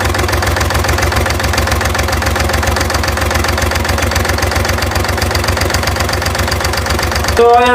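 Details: Engine idling with a regular internal knock, about three to four a second. It also has hard starting and white smoke with circle-shaped puffs.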